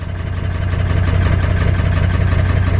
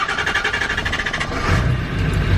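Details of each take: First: Ford Power Stroke diesel truck on its first start with the original cam position sensor and an eBay replacement injector driver module fitted. A loud, lumpy, uneven diesel beat that never settles. It ran perfectly once that IDM was removed, so the IDM is faulty. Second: Ford Power Stroke diesel truck after fitting the new cam position sensor and removing a replacement IDM that ran terribly: even diesel clatter, about eight beats a second, settling into a steady idle with no misses; normal idle.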